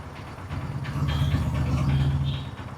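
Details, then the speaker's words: Royal Enfield Himalayan single-cylinder engine idling after the camshaft and rocker arms were replaced with original parts (a worn rocker bearing); the timing chain was not changed. A steady, even low thump with no top-end ticking or tapping; runs clean and quiet. "എന്തായാലും വണ്ടി നല്ല silent ആണ് കേട്ടോ നല്ല silent ആണ് വണ്ടി വേറെ യാതൊരുവിധ അലപ്പ് സൗണ്ടുകൾ ഒന്നുമില്ല"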